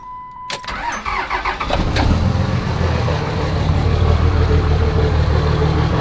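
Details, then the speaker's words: 5.9 24-valve Cummins diesel truck with no muffler, cold start: cranks and catches, then a loud, uneven idle with a lumpy beat near four per second; rough cold running, cause not identified. "i want to show you guys what's going on now a little cold start you can really hear it"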